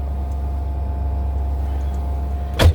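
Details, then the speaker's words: John Deere 5105 replacement truck just started, not yet warmed up: steady low idle rumble with a faint constant hum; owner suspects the fuel pump, like the other truck's before it was replaced. Humming at idle. "still about a have a of gas in her I think got how much gas is in it I can hear that fuel pum H humming"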